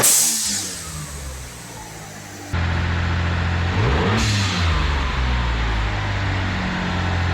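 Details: 1997 Mitsubishi Galant VR4 after replacing the old plastic recirculating valve with a GFB Hybrid valve: engine idles, revs and drops back with a brief airy whoosh as the throttle closes; normal blow-off valve venting.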